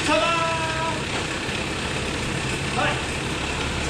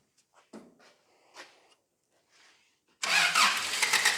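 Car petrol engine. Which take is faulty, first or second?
second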